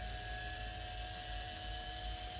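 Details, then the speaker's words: 1992 Olivetti M4-40 (486, 25 MHz) power supply tested on the bench, outputs reading 5.2 V and 11.47 V: steady even high whir of the supply fan with a constant hum, no rubbing or ticking; normal fan. "so i'm pressing this is a 5 volt and this should be spinning up and making a lot of noise"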